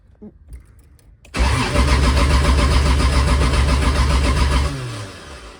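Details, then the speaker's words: Turbo Toyota 2JZ on first start: steady starter cranking about three seconds with no firing, then winding down. Earlier it had oil and fuel pressure, but now there is no fuel pressure even after jumping the fuel pump. Crank, no start. "we have no fuel pressure no fuel pressure"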